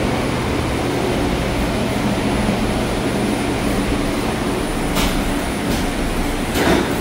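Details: Haughton Type 601 DC gearless traction elevator machine, installed 1980s, 104 hp, 1200 FPM, very low RPM, recorded in machine room: steady low hum with even mid tone, no knocks or grinding; normal running.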